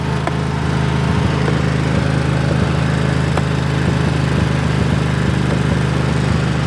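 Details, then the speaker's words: 2004 Husqvarna riding mower, sat unused since 2014, chugging steadily with a few sharp exhaust pops: backfiring, slightly smoky, likely burning off old bad fuel from the tank. "it you can hear it backfiring there you go burned all out"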